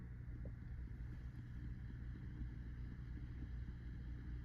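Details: 1965 Fender Deluxe amp (non-reverb), after clipping a 10 µF capacitor into the tremolo circuit to remove ticking: only a low, steady hum with no rhythmic ticking; tremolo runs quiet and clean.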